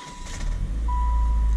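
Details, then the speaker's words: Used car for sale with valve cover oil leak, started in park with hood open: short crank, catches at once, low rumble settling to steady idle with no knocks or misses; tachometer not working. "And this starts up immediately."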